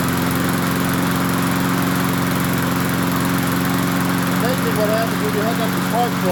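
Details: MTD 22-inch push mower, model 11-A084E029, after the spark plug wire was reconnected: the engine runs at a steady, even pace with a constant buzz and no stumbling or surging. Owner notes slight vibration, possibly a bent crankshaft.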